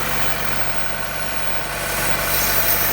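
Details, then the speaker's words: 2015 Chevrolet Corvette Stingray at auction, idling after start: steady airy hiss over a fairly even idle, a sucking PCV valve vacuum leak suspected of making the car run badly. Cause suspected, not confirmed. "oh yeah you hear that this is the issue here that little pcb valve is sucking yeah so that's the issue"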